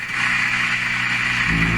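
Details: Canadian Pye Model 39HC valve radio at full voltage after resoldering a bad joint and moving a capacitor: steady low putt-putt drone with hiss on top, unchanged; motorboating persists, cause not yet found.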